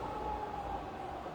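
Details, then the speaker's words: Fully rebuilt Bridgeport head, spindle stepping down from 1200 to 800 and 500 RPM; quiet steady hum easing lower, no grinding or rattle, runs healthy. "800, and 500. All running super quiet, super nice."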